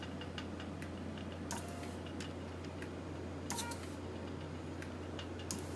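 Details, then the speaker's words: High-pressure aeroponic system with accumulator tank, pump and pressure switch: misting solenoid on a timer set one second on, one second off, clicking about once a second with a hiss of spray; cycling normally. "so i like that one second on set again and one second off and then i'm gonna hit confirm and now it should start clicking on one second"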